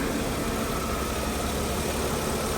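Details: 2003 Mercedes-Benz E320 that had a misfire with no stored code, after cleaning coil packs, adding dielectric grease and fitting all new plug wires: steady, even idle with no stumble or ticks, running smooth.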